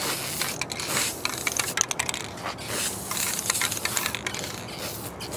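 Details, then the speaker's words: Aerosol spray paint can on a glass-head Briggs and Stratton engine project, sprayed left-handed, barely coming out, bubbling, spitting and sputtering in uneven bursts that cut in and out; owner suspects a bad can. "here it's like it's almost barely coming out and it's bubbling up"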